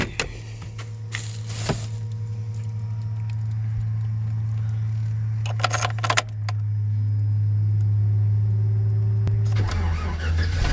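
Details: 2008 Chevrolet Express van: steady low buzz over idle, then a tone sweeping upward and holding; odd electrical buzzing, suspected from the ABS module, unconfirmed.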